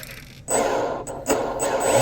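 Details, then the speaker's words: Volantex Vector 70 24-inch RC boat brushless motor, bench test after binding before first run, short forward/reverse throttle bursts: clean electric whine climbing smoothly with speed, no grinding or ticking; normal motor run. "It's actually pretty smooth sounding."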